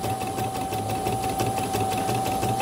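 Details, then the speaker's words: CNY E900 embroidery machine after the needle-damaged rotary hook was sanded, not replaced, to cure thread breaks and rough noise: even quick chatter with a steady high tone, no scraping, running smoothly before the cover is refitted. "Oke lah, nanti kalau dilihat dari sini sudah lancar, nanti tak tutup, tak tes lagi dan selesai."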